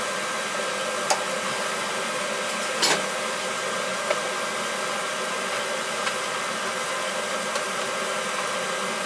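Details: Oil-fired boiler that tripped the panel breaker whenever the burner lit, after repair with circulators and control reconnected: an even, steady burner roar with a few stray clicks, firing without cutting out; normal operation.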